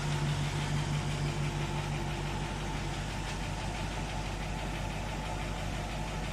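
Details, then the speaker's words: 1960 Pontiac Catalina V8, 10.5:1 compression on premium fuel, warm idle: light fairly even ticking about three times a second over steady rumble; a couple of lifters ticking, one on each side, considered not a big issue. "But like I say, when it's warmed up, you hear a couple lifters ticking a little bit, one on each side. I don't think it's any big issue to worry about."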